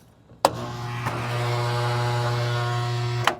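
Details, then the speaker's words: 40-year-old Carrier Weathermaker air conditioner, blower motor bumped on briefly: a click, then a flat low hum for about two seconds with no spin-up; blower motor burnt out. "Okay. Not sure if you guys could hear that, but that motor is burnt to hell."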